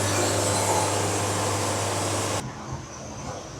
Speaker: I'm not sure if you could hear it, but I was starting to hear that E flat. So we're getting close to our optimum speed.